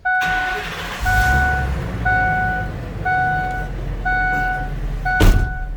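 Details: 2006 Ford Econoline E-450 flatbed, 6.8L V10, automatic with overdrive, 131,784 miles, at start-up and idle: low, even rumble, no knocks or misses, under a steady once-per-second dash chime; no warning lights, smooth normal idle.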